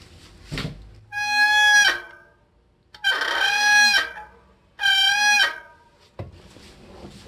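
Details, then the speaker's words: Bicycle hydraulic disc brake giving three loud, wavering honks when applied, caused by disc pads and rotor contaminated with aerosol oil, also reducing braking power. "Причина звука в том, что колодка диска загрязнена. Это оно Накладка диска Накладка диска и ротор загрязнены."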